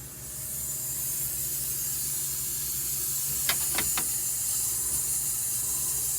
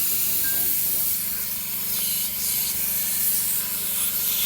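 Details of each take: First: MCI MC5 bus being aired up after all air lines were replaced with DOT nylon fittings. The only steady hiss comes from the fill point with no other leaks, and pressure is at about 55 psi and rising. The air system holds normally. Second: MCI MC5 coach after new air lines installed, air pressure at 55 and rising, trying to release parking brake: loud continuous high hiss over low rumble; significant compressed air leak in the system.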